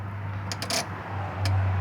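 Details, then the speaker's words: 1989 Nissan D21 pickup (Z24i) horn circuit: sharp metallic clicks over low idle hum as the horn relay is manually energized by grounding its light green/black wire with a test light, bypassing the horn switch; relay clicks normally. "I touch the back pull pan we hear the relay clicking so that's a good way to also check your operation of your relay"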